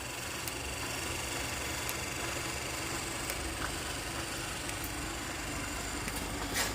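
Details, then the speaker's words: Vintage Chicago Machine and Tool Company horizontal milling machine, gear driven with canvas belt, believed to have its original motor: steady, even, quiet hum with light whirr and no knocks or grinding; normal running. "Start it up for you guys. She runs quiet. Believe it might be the original motor at least on"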